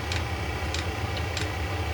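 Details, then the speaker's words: eBay 8 kW Chinese diesel heater at low output maintaining temperature in a workshop warmed to about 15 °C (60 °F). Steady fan hum with a sharp fuel-pump tick about every 0.6 s. Normal slow pump clicking. "see if it turns back on automatically or if it just clicks away real slow to maintain the temperature"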